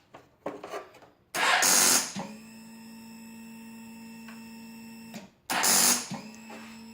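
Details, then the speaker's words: 2007 Kawasaki ZX-10R no-start despite a new, fully charged battery: pressing start cuts all the lights and gives a fast buzzing chatter from under the tank with no cranking; it had earlier started hesitantly, cause unknown. "All the lights shut off when I press it. Listen to that noise. It's coming from right underneath the tank, kinda."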